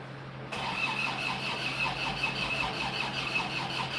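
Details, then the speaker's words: Isuzu Panther diesel after an engine rebuild with liners flipped, first start: slow, even starter churn of about three pulses a second with a thin whine and no firing; fuel lines empty and compression not yet full, so a charger is added. "Ya seperti ini agak sulit karena kan kosong pipanya nah ini akhirnya nggak kuat kita bantu dengan charger dulu supaya ringan karena start awal itu harus kuat"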